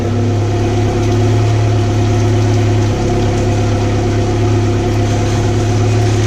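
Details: 2014 Mercury 115 four-stroke outboard after low-pressure lift fuel pump repair, in gear (drops about two cylinders at neutral idle): steady smooth low hum, no misses or knocks; normal idle on all four cylinders.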